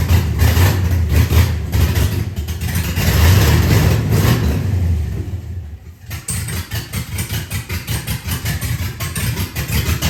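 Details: LS engine swap in an SS 454 tribute truck, first run after refitting the correct intake manifold. V8 catches, revs up, then settles into steady, even idle with smooth regular low beat: normal idle.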